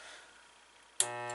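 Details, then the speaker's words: Dishwasher motor gives a harsh, steady hum and won't start when one start capacitor wire is unplugged during a test with a homemade test wire; motor itself is good, capacitor needed to run. "the humming so you need that capacitor on there to get that running so the motor here is good"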